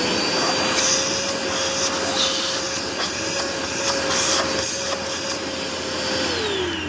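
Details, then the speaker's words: Curbside-found Dirt Devil Endura Max UD70175 vacuum, brush roll with rebuildable bearings: steady high motor whine with even airflow rush, no choking or pitch drop, winding down; everything in good shape. "we made it so yeah everything's in uh good shape relatively speaking"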